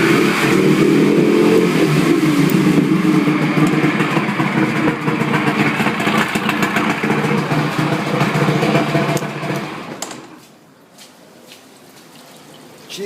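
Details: 55 hp Evinrude outboard running in a water container after throttle cable adjustment, throttle given (not full): strong, steady drone for about ten seconds, then drops back; healthy running under throttle.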